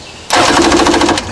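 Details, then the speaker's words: 1995 Yamaha WaveRunner Wave Raider, previously only clicking at the electrical box. After the bad starter solenoid/relay was replaced and the hot wire reconnected to the battery, the starter spins the engine briskly with quick, even chugs instead of a lone click. Normal cranking. "So we're going to put our hot wire back on our battery here. Alright, if we hit the starter, it should turn the engine over."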